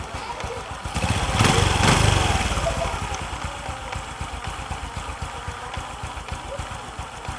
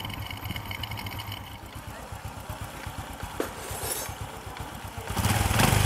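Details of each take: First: Honda Future (Fu) motorcycle with smoking problem: idling about four beats a second, then loud rough groaning swell from the clutch that rises and fades; clutch groans and clunks every few turns, stalling the engine. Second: Single-cylinder Honda Future scooter with persistent exhaust smoke, after the clutch was fixed: idle pulsing about four times a second, then rising revs, no groan or clacking; the earlier clutch rattle is gone, clutch operating normally.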